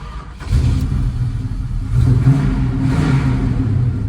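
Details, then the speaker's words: 1970 Plymouth Hemi 'Cuda with a hard-to-tune Hemi V8 that isn't running right: deep, lumpy rumble with rough puffing through the revs, an exhaust leak from the reproduction exhaust manifolds. "I'm sure you can hear that exhaust leak this thing has reproduction manifolds and well apparently that's just kind of part of the experience"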